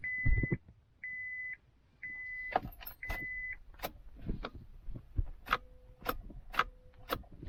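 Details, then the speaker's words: 2000 Acura 3.2 TL with no-crank condition, over 607,000 miles: key turned in park with foot on brake gives a sharp single click, none with foot off; brake/neutral safety switch circuit judged good. "You can hear it clicking. If I take my foot off the brake, it does not click. So that tells me this is good."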